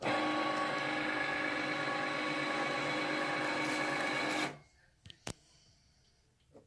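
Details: Cricut Explore 2 cutting machine: about four seconds of harsh, buzzy whirring with a coarse grinding edge, then it stops; grinding from the carriage, cause unknown.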